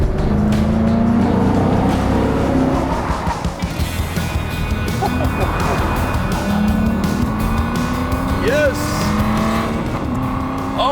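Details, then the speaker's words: Aston Martin V12 Vanquish, naturally aspirated V12, accelerating on the road; clutch engages at the very top and may not fully disengage. Smooth rising howl over tyre noise; healthy engine under acceleration. "and will you listen to that there is absolutely nothing like the noise that gets made by a naturally aspirated v12"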